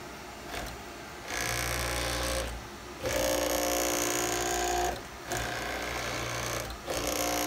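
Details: JMC iHSV57 servo temporarily mounted on a Taig CNC mill: the table whirs through four fast, even traverses at max 178 IPM (100 kHz), with earlier power-supply clicking gone at lower acceleration settings. Normal rapid axis traverse.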